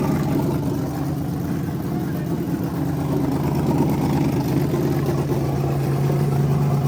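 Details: Freshly rebuilt small block Chevy 350 for an OBS Chevy truck, on a homemade run stand with headers and hot water in the cooling system: deep, steady burble at fast idle, even lopey beat, no knocks or ticks; healthy, strong-running.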